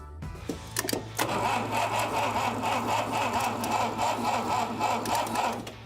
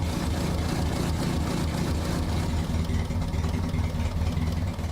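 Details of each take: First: Abandoned 1960 Mercedes-Benz 190B engine under restoration, start attempt after brief repairs: steady starter cranking about four pulses a second for several seconds with no catch; cranks but won't fire. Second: Restored 1960 Mercedes-Benz 190B petrol engine after rebuild and brake caliper repair: steady low rumble with an even, unbroken beat and no knocks or misses; idling smoothly.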